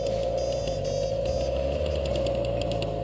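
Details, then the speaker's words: BMW F800GS or HP2 on a muddy trail ride, with dirt packed between chain and sprocket even after the chain was loosened; engine running steadily with fast, dry, rhythmic clicking over it, rider unsure the bike could continue; suspected drive chain noise. "that does not sound healthy at this point we weren't you I wasn't quite sure if I was going to be able to continue with the ride"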